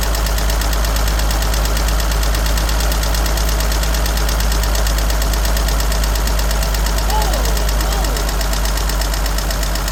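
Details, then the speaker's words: 1963 Jeep Gladiator petrol engine at a rough idle: a light, steady tick about three times a second that keeps going. Oil is very dirty and two quarts low. Source not found yet. "And evidently, she's still ticking. And something is weird with this. You hear the tick? I hear the tick."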